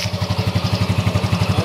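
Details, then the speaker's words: Motorcycle exhaust after epoxy (resin and hardener) patch of a hole: clean, even thump about twelve beats a second, no hiss or puffing; exhaust sealed, no leak. "Diba, ang ganda ng tunog?"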